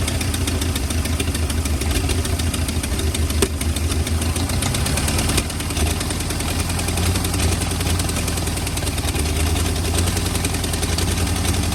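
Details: 1940 or 1941 Ford flathead V8 truck, sat about 50 years, running cold on ether, heads and block not yet warm: low, uneven idle with a ragged, lumpy beat and occasional stumbles, spitting unburnt ether.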